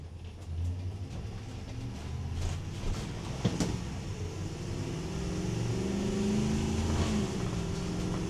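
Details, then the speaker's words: 2026 Thor Chateau 19Z motorhome, recorded inside while driving: road drone with loose clicks and clatter, louder over bumps; interior fittings rattle and contents fall out of the medicine cabinet. "Okay, now after that drive. It was just horrendous noise and rattle. Everything was falling out of the medicine cabinet."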